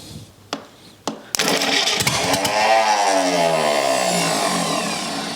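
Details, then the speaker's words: Rebuilt U23 engine's first start attempt after 25 years, idle mixture unknown: cranking clicks, then catches roughly, surges unevenly and fades; fires but won't keep running, likely fuel mixture. "well we almost got it right so um let's try a little bit more and see what happens"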